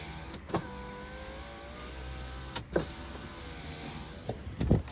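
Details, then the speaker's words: 2008 Dodge Avenger R/T, 3.5 with automatic, 161,662 miles, driver's automatic power window: short whirring motor runs with a soft thunk at each end of travel; the windows move down and up smoothly and work normally. "first thing I do to make sure these windows go up and down so there's your mileage 161,000 660 to go ahead and get the windows down these are the automatic for the driver's side automatic"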